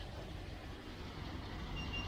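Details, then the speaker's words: 1971 Range Rover Classic V8 at idle: steady stumble with one beat dropping out of the rhythm; number one cylinder dead. "right let's get the body open see what's going on under here i've got quite a misfire"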